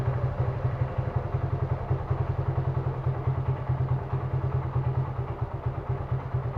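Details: Suzuki Gixxer carbureted single at idle: lumpy, uneven thump with some clatter and a wandering beat; vacuum leak at the carburetor suspected, not confirmed.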